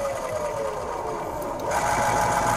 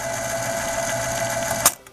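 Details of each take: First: 1970 RCA YLG43 reel-to-reel tape deck running on test: busy, rapid sewing-machine-like rattling chatter from the transport; worn rubber idler wheels make it noisy, and a missing belt is also suspected. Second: 1970 RCA YLG43 reel-to-reel tape deck after repair, in playback with rubber pinch roller engaged: even mechanical whir with high steady tone, then sharp clack on stop; strong takeup tension, possibly too much, normal transport running.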